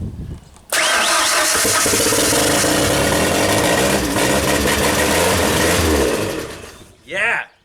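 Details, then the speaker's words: 1992 Genie boom lift engine, not run in two years, after WD-40 in the cylinders and plugs refitted, no starting fluid: brief crank, then it runs loud and rough; flooding cleared, timing and spark good, fuel mixture still needed. "yeah cut fire back up so okay it runs timing is good spark is good now we need a good fuel mixture"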